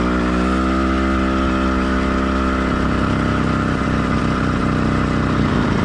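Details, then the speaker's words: Warm two-stroke motorized bike kit engine, stock or lightly modified, single-speed, single-circuit carburetor: steady buzz that shifts and loosens slightly near three seconds; light four-stroking, completely normal and not worth chasing. "this bike and how it's running is completely normal for a stock or very lightly modified motor so you don't need to chase Your Tail trying to get rid of every last bit of four stroking"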